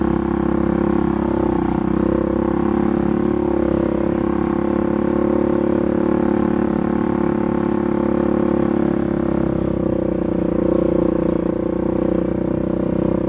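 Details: Polaris 570 ACE engine rebuilt after a dropped crank and rod caused a hard knock; new crank, valves, buckets, high-compression parts; even, steady drone holding one speed, no knocking or ticking, healthy and smooth.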